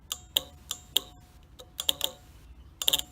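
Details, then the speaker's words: 1964 Cadillac power window relay on the bench, contacts cleaned and case reinstalled: 12 V applied across the low-current control circuit gives crisp bursts of clicks as the electromagnet pulls the contacts closed. Relay working normally. "that is the electromagnet pulling the metal contacts together and you hear the clicking sound and that low current circuit allows closes the high current circuit and then allowing the windows to work"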